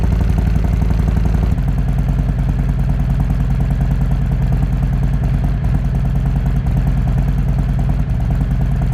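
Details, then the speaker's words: 2020 Harley-Davidson Road Glide Special, Milwaukee-Eight 114, stock cam, stage 1 with D&D 2-into-1 exhaust, Arlen Ness air cleaner, Fuel Moto tune; cold start, not ridden all day, before S&S 475 cam install; deep loping idle, even strong pulses, healthy. "The bike hasn't been ridden all day, so it'll be a nice, fresh, crisp, cold start."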